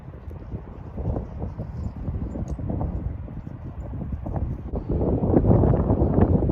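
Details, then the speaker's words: 1976 Dodge Dart 340 V8 after a one-wheel burnout over a crowned road, brand-new distributor, some tune-up changes: lumpy, uneven running with irregular stumbling beats and wind noise; stutter, cause not found. "this thing's demented just not happy"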